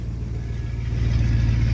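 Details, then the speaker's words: 1999 Chevy Silverado 1500 Z71, 5.3 V8, just fired up cold: low, even idle with a steady deep rumble and no knocks or misses; has the usual cold piston-rock tap these engines make, sounds smooth and healthy. "It doesn't even have that typical 5.3 sound. I get the piston rock when you first fire them up."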